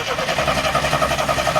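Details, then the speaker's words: 1974 AMC Hornet parked for years, points distributor, started during a spark check: it catches and runs with an uneven, wavering note for a couple of seconds and is quickly shut off. It was not yet reconnected to run on all six; cause unknown. "whoa okay shut off shut off shut it off trying to keep backwards it should shut off yeah there you go laughs wow okay I don't know what that was all about all right but it did start"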